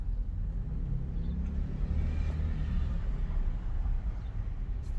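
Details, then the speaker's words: Test drive at full steering lock: only smooth low road rumble, no clicking or popping; CV joints sound healthy. "nice no clicking or popping so everything feels good"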